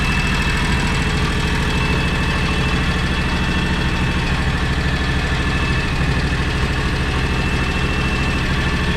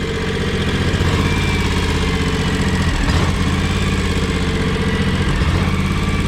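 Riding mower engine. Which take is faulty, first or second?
second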